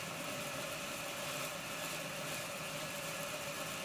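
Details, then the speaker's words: Accurascale Deltic model locomotive with DCC decoder swapped from another loco, at 25% running speed: thin steady whine with rough hissy buzz and no rise in pace; the motor struggles and runs erratically, to be removed and tested alone. "but you can hear that motor struggling okay I think that's enough for now I'm not gonna run it any longer and damage it any further the decoder that is"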